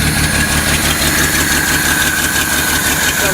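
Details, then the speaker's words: 1972 Datsun 240Z, long-sitting car being revived after a starter replacement, cranked and fuelled by hand. Uneven idle with a lumpy pulse about twice a second and a hissy top end, slight blowby; rough running, cause unconfirmed. "little blowby. Not bad though. It doesn't let throttle yet."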